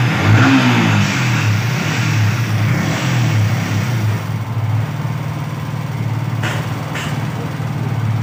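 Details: Yamaha R15 V3/V4 single revved and held, uneven rattly beat under the exhaust note, VVA sound problem suspected; abnormal engine noise, cause not confirmed.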